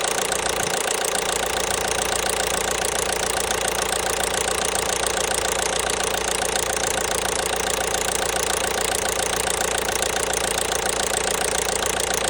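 Diesel idling with a sharp, even knock about three to four per second, steady throughout; internal knock, cause still unknown.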